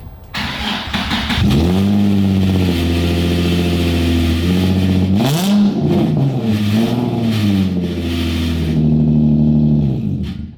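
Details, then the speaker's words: Nissan 350Z VQ V6 at start-up and high idle: droning exhaust with a high-pitched metal-on-metal rattle and buzz from a broken muffler, worst at high idle and certain resonances; exhaust to be rebuilt with a new muffler. "Honestly, sounds bad at idle. Yeah, no, it sounds, when it idles high is when it sounds horrible. And then certain resonances is when it vibrates together a bunch. Sounds terrible. It's like metal on metal, high pitched rattle."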